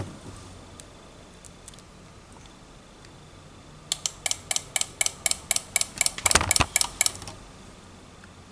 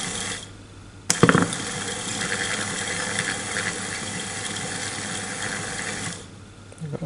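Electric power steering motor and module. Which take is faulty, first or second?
first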